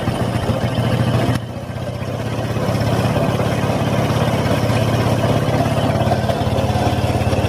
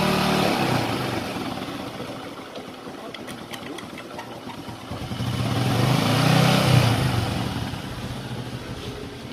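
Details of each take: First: Honda Supra X 125 idling: rough metallic rattle and scrape from inside the clutch case, louder and harsher when ridden; the clutch housing or clutch bell is suspected. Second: Honda Supra X 125 after repair; the metal-rubbing noise in the clutch housing was caused by a worn bearing. The single cylinder idles at an even beat and revs up and down with no metallic scraping from the clutch side. Normal running.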